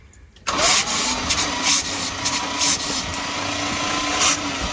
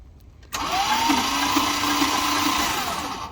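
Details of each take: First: Field-find 1978 Dodge Street Van, factory starter, cranking with spark plugs removed: steady even starter whir with puffs from the open plug holes; it has compression, roughly 8:1 at best, and should run once spark is sorted. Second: 1978 Dodge Street Van field find, factory starter, spark plugs out, using a battery from a long-unused Dart: weak starter whine with slow, laboring turnover of about three beats a second; the old battery is suspected.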